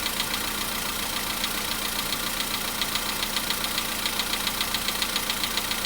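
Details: VW Polo sedan, cold start at idle: sharp, regular metallic ticking of about twice a second. The knock reportedly fades after about 4 minutes 40 seconds, near 55 degrees. Source undetermined.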